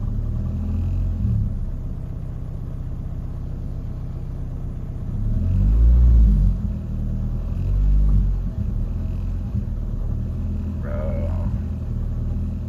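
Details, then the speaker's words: Car's idle hunts, swelling and sagging unevenly every few seconds instead of holding steady; owner unsure if fixed, suspects relearning; runs fine with it unplugged, may disconnect battery to reset. Erratic idle. "Uh it's just going back to what it was doing last time. Oh. I don't know. I don't know if it fixed it or not. It's being weird."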